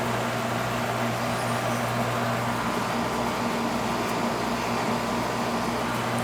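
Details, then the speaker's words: Carrier AC condenser that was not cooling; capacitor's compressor side was dead and fan side low (2.8, should be 5). After the new capacitor it works fine: even low hum, constant fan whoosh, no rattles or surging; normal running. "need a little cap it's working fine"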